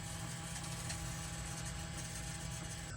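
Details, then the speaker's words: Ford 6.7L diesel after replacing broken fuel water separator valve, ignition cycled without starting: steady, even electric hum at constant pitch as the lift pump refills the separator; normal fuel pump priming. "it's pumping a lot of fuel filling that separator back up kind of the same thing you do with the fuel filter change"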